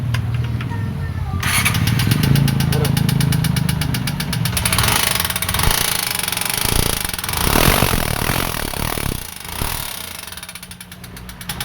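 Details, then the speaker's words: TMX 125 Alpha single-cylinder idling with loud, fast metallic top-end clatter; teardown found worn parts from a blocked oil passage clogged with sealant. "Good morning idol TMX Alpha ito ang sakit nito maingay ang makina"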